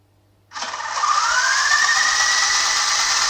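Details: 9004G 2.4 GHz RC helicopter, microphone right next to the tail rotor while testing the speed button: small motor spins up from silence to a high, even whir, pitch climbing smoothly; the button toggles tail rotor speed.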